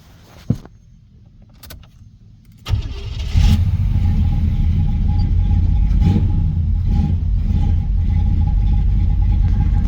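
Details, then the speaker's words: 1990 Chevrolet Caprice daily driver before power steering hose and vacuum line repairs: single crank catches quickly, settles to smooth even idle with steady low rumble and no tapping; motor runs really good, normal start and idle. "She run pretty good. Like I say, he drove this car every day, like a daily. He drove this car. So let y'all check it out and hear it. Motor runs really good."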